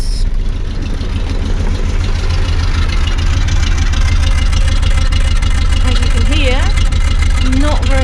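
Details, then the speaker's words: Land Rover Series 3 Lightweight with a shaky, lumpy idle, roughly three beats a second. Pulling plug lead 4 changes nothing, lead 3 slightly, lead 1 nearly stalls it. Distributor cap and rotor are clean; owner wonders about timing. Misfire. "happy bit shaky but you know not terrible if I get hold of lead number four pull it off it doesn't make a difference to the running you can hear it sparking"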